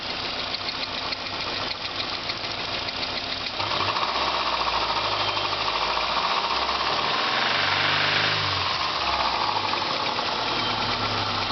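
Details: 2000 Subaru Legacy GT flat-four running with a sharp metallic knock of about three to four raps per second; possible rod knock deep in the bottom end, and the engine later blew up.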